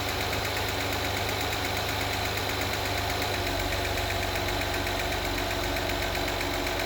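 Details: 2016 Acura RDX petrol V6 after spark plug change and timing belt job: steady, fast ticking that speeds up with rpm.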